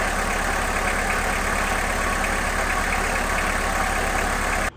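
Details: 1991 VW Jetta GL diesel, first start after baseline service (new fuel filter, air filter; temporary fuel pump removed, lines rerouted): steady diesel clatter at an even idle, firing regularly without hunting, then shut off; normal healthy diesel idle.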